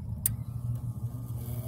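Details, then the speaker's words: Nordyne package gas/electric unit, thermostat jumped at the circuit board: low, even inducer motor hum comes up and holds steady with no scrape or rattle; inducer starting and running its cycle normally. "there we go that basically jumped the thermostat so that the inducer motor starts running its cycle"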